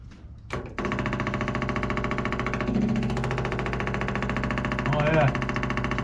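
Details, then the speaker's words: 1955 Willys Jeep wagon flathead, fuel pump hooked up and fed from a gas can: fires and runs lumpy with a wandering rhythm; carburetor is pouring fuel, probably why it won't stay running; carb rebuild planned. "majorly leaking that's probably why it wouldn't stay running I mean it is pouring out of that carburetor"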